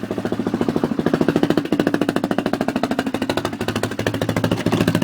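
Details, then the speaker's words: Honda 400ex single-cylinder ATV, previously had a Namura piston failure, warming up at idle before top-end teardown: steady even thump, no knocks or rattles, running a little rich but not bad; compression seems good; normal warm-up idle. "that's not sick running a little bit rich but it's not that bad"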